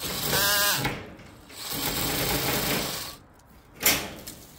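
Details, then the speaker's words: Drill-driven chainsaw attachment on an underpowered drill: buzzing chain cuts in short bursts, then bogs and stops dead. The chain is too slow to get through the branch, so the teeth keep jamming and it drags the hand toward the branch. "so the teeth of the Chainsaw keep getting jammed and yeah so there's two issues the saw the drill is having a problem and the other thing just keeps getting jammed because it doesn't have enough speed to go through what it's hitting"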